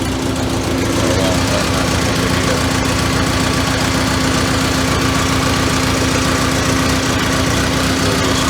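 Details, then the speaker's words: 1985 Merkur XR4Ti just restarted after upper intake reassembly; uneven idle with a stumbling pulse near four beats a second over a steady hum; white smoke, which the owner suspects is burning coolant from a coolant-filled cylinder; cause not confirmed. "should leave that in the belt there it's kind of idling like a b right now"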